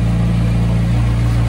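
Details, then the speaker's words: McLaren 720S after repair of cracked turbo manifolds, refilled with oil and coolant and slightly warmed up: steady, even low idle rumble; the previous exhaust-leak puffing and loud ticking are gone. "I don't hear any crazy noises. The exhaust leak noise has definitely gone away. Uh there's no loud ticking like there was before."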